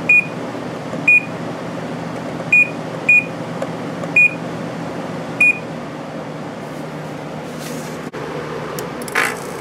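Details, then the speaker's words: Samsung 10,200 BTU window air conditioner from 2007, Samsung compressor, spring startup; several short high beeps at power-on over soft fan hum, compressor not yet running due to delay after plugging in; normal startup with compressor delay. "This one has a compressor delay after you plug it in, so it's not going to start for a while."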